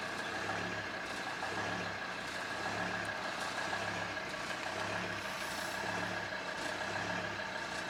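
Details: Volvo XC90 D5 diesel, cold start: idle swells and sags about once a second in steady cycle, goes away once warm; idle hunting, owner replacing diesel fuel filter, which did not cure it.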